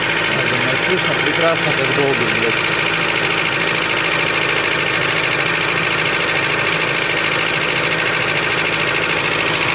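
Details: 2006 Honda CR-V K20A4 engine at idle, noisiest when cold: light quick knock over busy top-end clatter; teardown found wear in the camshaft bearing caps, camshafts reportedly sitting loose in their journals.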